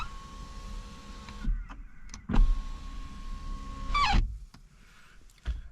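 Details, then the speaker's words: BMW i4 power window heard from inside the car: steady motor hum with a thin squeal as the glass winds down and rubs the rubber seal. Cleaning with washing-up liquid and warm water helped only about a day. "ar, or you just, you know, winding the window down, as the window rubs against this rubber, you get this squeaking noise."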